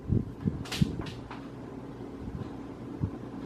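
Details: Casablanca Hampshire ceiling fan, about 5 years installed, running in reverse: low, uneven grinding rumble with dull knocks, louder on reverse than forward. Blades are tight with no visible rubbing, and the cause is unknown.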